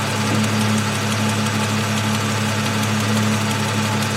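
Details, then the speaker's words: 2002 Ford Mustang convertible 3.8 V6, high mileage, cold start before oil change and engine flush: light rapid ticking over idle, following engine speed; owner suspects an exhaust manifold leak, possibly valvetrain. "old it's got a little tick on startup i don't think it's valve related but if it is valve related i'm hoping maybe a flush will help um if it's a if it's manifold related you know it goes away after about 30 seconds so i can live with it"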